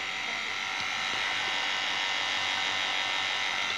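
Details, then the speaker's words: Refrigerant vacuum pump on a 6-shelf freezer not freezing ice, at full vacuum before R134a charging: smooth, steady high buzz, no roughness, gurgle or smoke once smoke cleared; pump running healthy. "Oke, sekarang suaranya halus dan tidak ada asap. Suaranya sekarang terdengar lebih halus. Jadi, bunyinya seperti ini."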